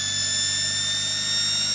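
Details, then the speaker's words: Salvaged universal washing-machine motor bench-tested on a variable supply with 3 A fuse, slowly coming up to speed: steady high-pitched whine, clean even tones, no rubbing or grinding; normal run-up, spinning freely. "now of course with these kind of motors it takes a while for them to come up to speed"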